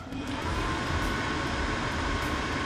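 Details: Old Atwood RV furnace, during a blower fan wheel replacement for an out-of-balance wheel: the blower is bumped on as a check for grinding. It gives a steady, even whoosh with a constant mid tone and no scraping, which is normal blower operation.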